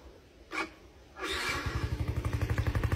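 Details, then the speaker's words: Yamaha LC135 V3, about 60k mileage, after major service with new battery, spark plug and oil: after a couple of blips it settles into an even exhaust putter, about four beats a second, no mechanical clatter; engine quiet, healthy idle. "Yang bunyi exhaust dia. Enjin senyap. Enjin tak bunyi. Yang bunyi tu exhaust saja. So memang enjin dia padu."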